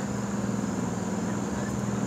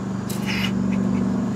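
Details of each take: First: Early 1970s Sears Coldspot Viewsaver air conditioner: steady low compressor hum with constant fan hiss, even with no rattles or knocks; blows cold, iced slightly at the bottom, running fine. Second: Early 1970s Sears Coldspot Viewsaver window air conditioner with auto fan-speed energy saver, running and blowing cold: a steady low hum with a brief raspy chirp, because the fan motor bearings are a little worn.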